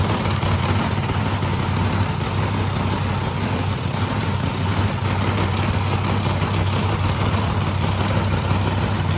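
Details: Supercharged V8 idling in workshop before timing check (target 32°, owner suspected slipped timing from hard starting; found 31–32°, starter possibly weak); deep steady idle, even low rumble, no stumbles or skips, running healthy.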